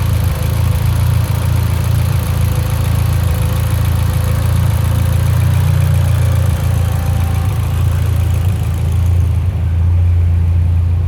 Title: Evo x lean idle misfire